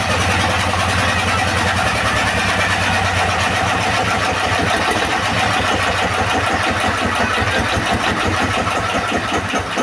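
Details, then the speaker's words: Used S1115 single-cylinder diesel that would not start, now running after service: a steady, even, fast thump with no knocks or misses, oil indicator rising well. Normal running. "Oke sobat diesel setelah kita coba hidupkan dan kita dengar tadi hasilnya sepertinya tidak ada kendala lagi ya pada mesin diesel ini"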